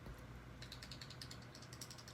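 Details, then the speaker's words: Out-the-front automatic knife shaken by hand: quick metallic clicking as the blade rattles loosely in the handle from the vertical and horizontal play typical of OTF mechanisms. "Very often there is a lot of vertical and horizontal blade play. The blade just kind of rattles around in here. I mean, you can hear it."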